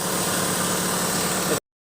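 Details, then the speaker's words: Hyundai Trajet that bucked and died, after fixing a faulty CMP sensor and jumpering its wiring with an external wire; started engine holds a steady, even idle with a smooth hiss, no misses or stalling, now running normally. "Oke, kita starter. Nah, normal, tidak kembali lagi."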